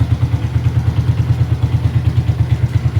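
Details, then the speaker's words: 2013 Suzuki Shooter, 113 cc, 650 ml oil, no longer as smooth as when new: rough at first start until the piston is lubricated, then settles to a deep, even low idle thump with no knocks. Normal idle. "Ini mesinnya udah agak enggak sehalus dulu. Biasa ciri khas mesin Suzuki itu dari awal pertama nyala itu dia enggak belum melumasi seher ya. Jadi suara awal itu agak kasar karena belum terlumasi. Setelah itu baru dia halus seperti itu."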